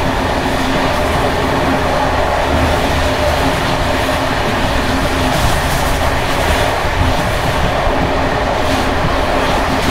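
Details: Bd264 passenger coach (built 1979) with Görlitz V bogies long past major maintenance, evening express on uneven line 190 between Hluboká nad Vltavou and Číčenice: loud continuous rattle and clatter as brake rigging bounces from the worn bogies.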